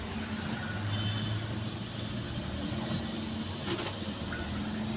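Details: Toyota Aqua hybrid after fixing code P0705 no-start by correcting looseness at the transmission range sensor and clearing codes; low steady hum with faint even whir, no knocks, normal ready state.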